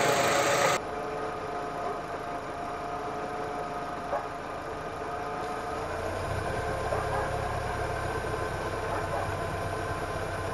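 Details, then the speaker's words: Engine idling with the PCV valve pulled off its hose: a steady airy hiss as air is sucked into the intake manifold. Throttle position drops to nearly zero (0.8) and idle control steps fall to 4–5. "Wir hören ein Zischen, das bedeutet, dass Luft in den Ansaugkrümmer gesaugt wird."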